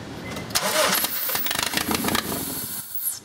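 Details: 2001 Honda Civic 1.7L with start-run-stall: the starter whirs, the engine catches raggedly, then stumbles and dies. Spark, fuel and compression were present and removing the upstream O2 sensor changed nothing; the timing belt was one tooth off and was reset.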